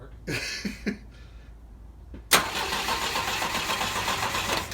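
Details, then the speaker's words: Volvo 122S Amazon sitting 23 years, out of gear, fuel line and air cleaners removed, first turn-over: starter spins the engine at a steady, unlabored pace without binding or scraping; normal cranking. "We're gonna turn it over first. Just turn it over a little bit."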